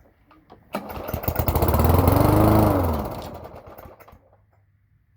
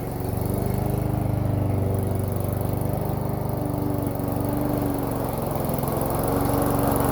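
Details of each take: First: Toro lawn mower, cold start after earlier priming: one pull fires it, revving rough for about two seconds before fading and dying; hard starting when cold. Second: Toro lawn mower single-cylinder engine on cold start after priming and backfiring: runs steadily at a fast, even beat with slight speed wander; normal running once started.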